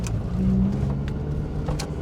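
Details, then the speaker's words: 1980 Mk1 Ford Fiesta 1.1L on its first short drive after restoration start, in second gear, probably running a touch rich. Deep, even, hollow exhaust rumble rising as it pulls away, with no knocking or rattling: a normal Mk1 Fiesta exhaust note. "it's got that Mark 1 Fiesta sound doesn't it that kind of hollow exhaust"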